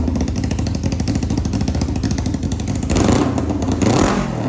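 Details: 1991 Kawasaki Ninja 500 twin in mini bike, first start after new gaskets and clutches, rejetted carb, gravity-fed fuel, open exhaust: loud crackling, steady idle with a couple of sharp blips; healthy, pulls cleanly.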